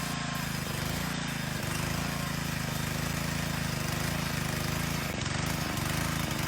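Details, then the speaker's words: Repowered Moto-Mower tiller with trash-picked Honda OHV 3.5 HP engine, still fairly cold, belt not yet worn in: low uneven labouring beat that sags and dips under load, bogging — too much tiller for 3.5 HP (later replaced by Honda GC160 5 HP). "as the belt gets a little bit more worn in uh it doesn't trip quite as much but definitely it was uh not enough there's too much tiller for a three and a half horsepower motor"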